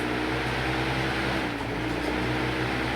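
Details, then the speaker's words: 1930 Westinghouse antique electric fan, fully re-greased, running on its low setting: a steady, even low hum with soft air rush and no ticking or scraping; the motor turns smoothly. "But this is low,"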